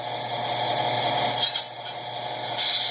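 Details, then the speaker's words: S gauge American Flyer Alco locomotive fitted with an MTH PS2 kit: steady electric hum with brief sharp buzzy snaps as the coil coupler fires to uncouple, before fitting the shell; normal coupler actuation. "do you hear that noise that's the coupler here's the rear one"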